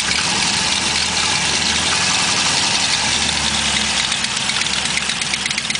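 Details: Chevrolet LS1 V8 at steady idle with a fast, sharp ticking about three per second, first suspected as a collapsed lifter but found to be an exhaust leak.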